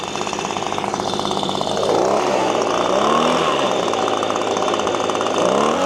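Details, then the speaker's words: Echo PB-250LN handheld two-stroke leaf blower, 6 years old, at full throttle after fuel tank/fuel pickup work: the buzz climbs a little higher than before but levels off early, still short of full RPM. "All right. My findings are it runs a little bit better. It runs a little higher RPM, but it's not where I think it should be."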